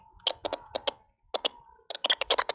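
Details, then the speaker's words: Paselec PX1 e-bike after about three hours of riding: sharp light clicks in irregular bursts of three to six that began after hitting a bump; cause not yet found. "we've been riding for three hours and you ain't heard that sound but we hit that bump on 29th street and then you hear that sound"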